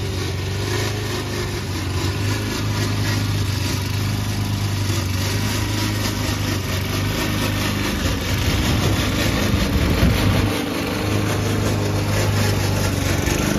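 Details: Old Toro Recycler mower cutting Kentucky bluegrass, binaural recording, before fix: small engine running steady under a loud, uneven, constant clattering racket from the dry drive system; the noise was later solved with WD40.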